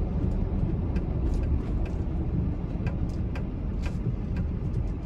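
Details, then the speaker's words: 2005 Chevy Silverado 2500 4x4 6.6 Duramax diesel, 20k miles, slowing for a corner: only road rumble and tyre hum, brakes don't squeak, whine or grind and the truck doesn't pull; brakes healthy. "hear how they don't squeak they don't whine doesn't cause the truck to pull one way or the other"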